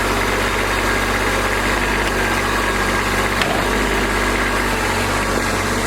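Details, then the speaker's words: Kubota B2601 diesel tractor, first start in a month in cold weather with block, oil and transmission heaters, started quickly; steady even idle with smooth low thrum, no knocks or misses while warming up, normal. "But it did start quicker than I thought it would, so we're going to let her warm up here a little bit and then get back at it."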